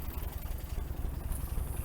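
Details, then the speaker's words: 1961 GMC K1500 4x4 that sat 15 years, with new carburetor, coil and electronic ignition, warmed up and idling low: uneven chuffing idle with a faint valve tap; owner suspects an exhaust valve stuck open, running on five cylinders. "So I've got this idle set pretty low. Still hearing like a"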